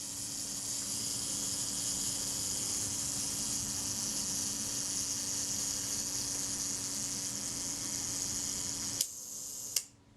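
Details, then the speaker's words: Retinette type 030/9 camera during servicing, speed trains lubricated with graphite powder: steady high-pitched self-timer buzz for about nine seconds, then a crisp shutter click. The self-timer and shutter are working normally. "and the shutter fires okay that sounds like that's running quite well"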